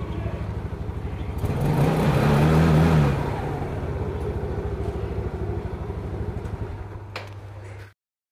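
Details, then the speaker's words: Yamaha Mio after carburetor service with air screw and idle speed adjusted: an even single-cylinder idle that picks up cleanly on a throttle blip and settles back steady. "Nah ini Udah enak nih sekarang kita coba tes-tes"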